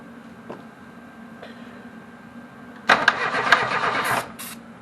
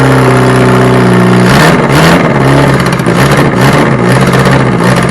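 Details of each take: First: Reliant Robin being started for the first time: quiet, then about a second of starter churning with no firing or catch; engine turns over but gets no fuel, fuel later poured in; crank no start from fuel starvation. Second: Reliant Robin on its first start attempt, once fuel has been added. Cranking whirr, then it catches and fires, revs rising and falling unevenly for several seconds; the engine starts and runs.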